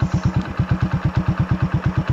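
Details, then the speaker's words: Kick-started Honda Supra V idles with steady low thumping, about seven beats a second, and a deep bassy exhaust note from a rusty, porous muffler; possible slight valve clearance misadjustment. "suaranya agak sedikit ngebahas karena kenalpotnya juga agak karatan kropos jadinya Chung saya ganti jadi suaranya ngebass"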